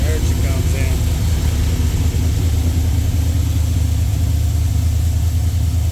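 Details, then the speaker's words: Jeep with a freshly rebuilt LS V8 and a new cam, first fire from cold, untuned, fan off, 50 lb oil pressure: deep lumpy rumble with a choppy cam lope of about two pulses a second, steady with no knocks or ticks; healthy idle. "Sounds much better. First fire was great. We're going to let it cycle. Let it warm up. Come off cold start."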